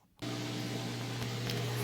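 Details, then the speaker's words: Whirlpool Duet washer with long drain and door-locked error codes, replacement drain pump running, much quieter than the old one; low steady hum with water rushing out of the drain hose, no rattle or grinding, normal drain pump running. "There's the pump running again. I can really hear the hose coming, the water coming out of the hose here."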